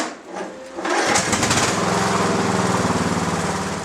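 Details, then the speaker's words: Mower on a restored lead-acid battery, perhaps about 7 years old, with one bad cell, that previously would not crank it; after sitting all winter, a brief crank then it catches into a quick, steady chugging idle. Normal running after start. "Now it cranks it, even with the one bad cell. We did manage to get it to start."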